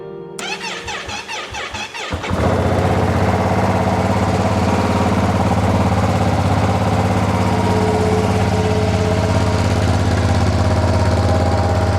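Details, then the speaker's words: New 2025 Ducati Panigale V2, just built from the crate, first startup: about two seconds of cranking, catches and settles into steady, even, lumpy twin idle; normal start and idle. "Without further ado, I think I'm just gonna give it a nice quick startup and let you guys listen to it for a little bit."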